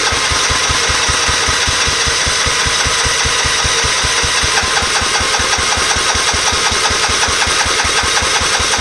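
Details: Scotts riding mower after cleaning dry-rotted gas cap rubber out of the tank: steady rhythmic cranking about 2.5 pulses a second that never catches; cranks but won't start on its own.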